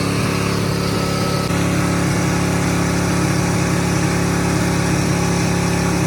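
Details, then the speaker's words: 1979 Ford truck V8 after a severed spark plug wire, restarted on seven cylinders and run at full throttle: roaring drone with an uneven, lumpy beat from the dead cylinder, before coolant spraying and the engine failing. "we're gonna put the batteries back and try to start again see if it'll run on seven cylinders"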